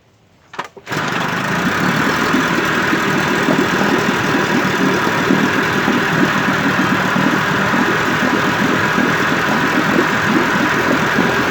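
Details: 1958 Evinrude 18HP Fastwin two-stroke outboard, replacement powerhead, new rings, crankpin needle bearings, NGK B6S plugs, heavy 30-weight oil mix, in water, cover on: quick catch then even, steady idle, no misses or knocks; running clean after rebuild.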